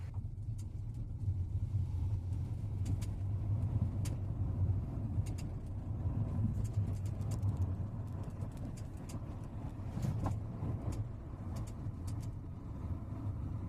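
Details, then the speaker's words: 2014 VW SpaceFox, driving: over steady low road rumble, sharp irregular clicks and taps from the right rear, seemingly suspension or wheel; owner inspected underneath and removed wheel and liner but source still unknown. "já tentei em todos os canais aí achar uma solução para esse barulho na traseira do lado direito Parece ser na suspensão na roda"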